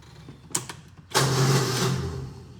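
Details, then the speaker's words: Kawasaki Mule 610XC (owner thinks 2014) with a starter problem, before replacement: one short clunk, then a single slow, groaning one-second crank that barely turns the engine over; failing starter motor. "he fired it up to get it off the trailer he was kind of painful to listen to it didn't sound too Swift"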